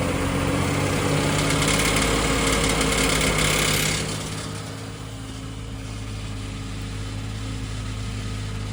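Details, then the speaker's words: BMW X5 E53, M54 3.0i, slightly warmed: idle with light, fairly even tapping over the hum, louder under blips around 2000 rpm; knock from cracked torque converter flexplate. "Но если немного нажать на газ, в районе 2.000 оборотов появляется вот этот вот стрикощий построенный звук от пластины. Давайте попедалируем, слушаем. Слышно, да? Такой прямо стучащийся."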